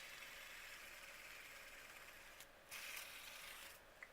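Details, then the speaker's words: Hand-spun stock ball bearing of a cheap plastic fidget spinner, held to the microphone, giving a steady raspy high hiss; a poor-quality, noisy rough bearing with a faulty cage, and the spinner shimmies from imbalance. "So that's the noise of the bearing. Let's put it up to the microphone. So one finger balance now. Quite a noisy bearing, and look how much it's shimmying."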